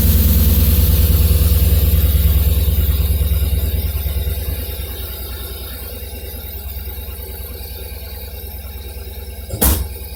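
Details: BMW S50 engine warm at idle: steady low thrum broken by a regular stumble about three times a second, a lopsided beat of a misfire.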